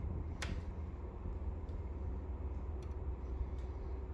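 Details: Brand-new Pioneer 9000 BTU 240V mini split while running: sharp, irregular clicks, about five in four seconds, over a low steady hum; cause unknown.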